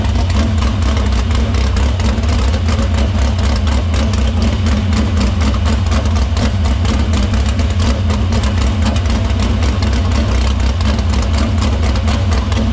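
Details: Dirt Silver Crown race car run in the shop after a fuel line repair, filter cleaning and fuel fed through the pump and main lines to the barrel valve. A strong, steady low rumble with even, quick pulses and no knocks or misses. Fuel problem sorted: normal running.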